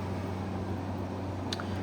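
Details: 2016 Arctic King 5000 BTU window air conditioner, model WWK05CR61N, 115 V, fan only on low drawing 0.475 A, 58.7 W: soft, even low hum with steady airflow and no rattle, scrape or wobble; fan motor runs cleanly.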